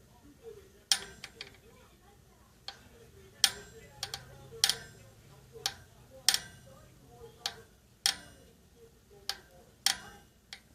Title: Novatec D202SB Hub making noise. A big creak in the bearing and rough feel when you turn it.